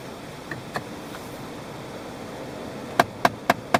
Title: CALHOUN TICKING NOISE